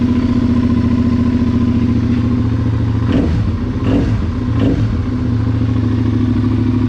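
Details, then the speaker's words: 2009 Suzuki SV650 auction bike, about 8,700 miles; steady even engine note with brief throttle blip midway, no knocks or rattles; normal running. "let's uh want to hear it run it does run sounds good"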